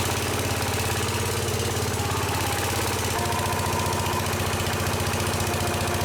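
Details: Case 222 lawn and garden tractor that sat about four years, now running after starting fluid with the air cleaner off: small engine chugging at a steady, slightly lumpy beat and keeps running on its own.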